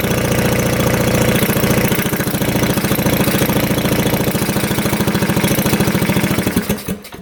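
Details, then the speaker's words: 1965 Tatran 125cc scooter, sitting 40 years, points cleaned and plug changed: even cranking thumps about three a second slow and die without firing; spark intermittent, owner blames coil, also suspects low compression; cranks but will not start. "tried a different plug and nothing's working so it's continuously sparking and then it lose a spark"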